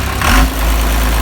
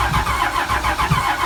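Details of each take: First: 12-valve Cummins diesel truck, first start via remote starter with gauges hooked up: deep even clatter settling into steady low idle right after starting; normal diesel idle. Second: Cheap long-stored 12-valve Cummins diesel, fuel at filter and solenoid: starter cranks steadily at about three and a half beats a second for several seconds, never catches, no oil pressure shown while cranking; cranks but won't start.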